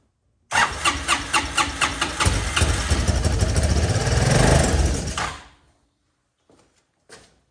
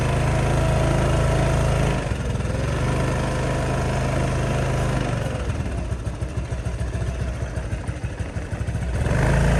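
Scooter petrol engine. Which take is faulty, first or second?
first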